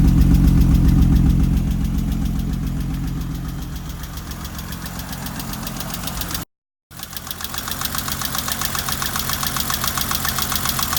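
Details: BMW 325i E30 six-cylinder after its fourth valve adjustment, rough uneven idle with a sharp steady tick about four times a second; owner suspects the valve adjustment is still not right.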